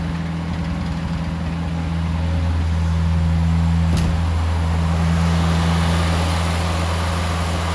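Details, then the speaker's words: 1970 Morris 1300 (ADO16) barn find, first successful start with the fuel pump connected and the choke held out: an even, smooth idle with no tapping and no exhaust leaks. Owner suspects a fuel delivery or pump problem, possibly low fuel. "Yes! We are running now. It's sounding pretty sweet. Not blowing out of the exhaust anywhere."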